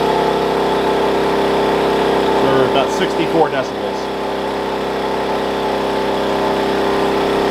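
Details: Wen 56203i 2000 W inverter generator (made 7/2020), break-in period, eco mode on running a 1+ ton portable AC, about 930–1200 W, mic about six feet away; steady, even hum, no knocks or surging, healthy.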